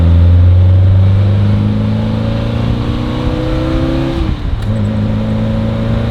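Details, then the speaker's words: Vintage BMW 2002, carbureted, driving after carburetor gasket rebuild, retune and new spark plugs fixing a misfire: pulls cleanly, pitch climbing to a gear change then picking up again, no stumble or hesitation; no lag, running best ever. "Oh, that's a good sign. That's a good sign. It's not lagging as much. No, it's not lagging at all like it did before."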